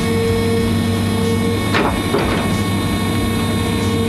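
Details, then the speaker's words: Excavator idling with the bucket curled in and the hydraulic quick coupler switched to unlocked, held over relief: a steady mid-pitched warning buzzer sounds, dropping out briefly, signalling the coupler is unlocked. "we're going to put it in the unlocked position hold them over relief there we go she's unlocked"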